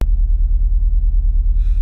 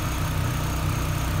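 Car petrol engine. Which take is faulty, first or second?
first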